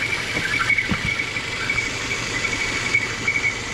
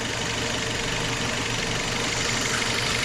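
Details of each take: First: Citroen C4 hatch at idle: a steady high-pitched whistle over an even idle, with a slight stumble from incorrect manifold pressure. The whistle comes from the valve cover's PCV breather, and a new valve cover has been bought. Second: Citroën C4 engine after covering the faulty cover opening with a plastic bag: steady even idle, whistle gone completely, soft hiss only; running normally, confirming the cover as cause.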